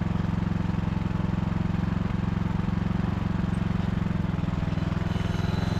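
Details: Poulan/Husqvarna riding mower saved from scrap, after cleanup and refurbishment: even steady low thump of small single-cylinder engine at constant idle, no misses or knocks; healthy.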